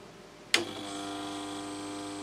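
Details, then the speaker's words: Instrument at power-on: a switch-on thump, then a steady high-pitched buzz with a whistle on top and all indicators lit; it sounds like a shorted transformer, and a power supply fault is suspected but not confirmed. "oh that sounds like a shorter transformer almost"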